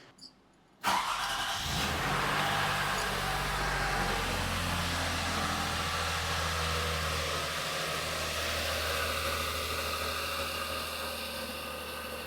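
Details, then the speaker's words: 2004–2009 Lexus RX330/350 startup after a power steering fluid flush with ATF topped between cold min and max: quick start, smooth even idle, no pump whine, no leaks. "Yeah, I'm not hearing a whine at all. Usually you would hear a whine upon startup, but she sounds good."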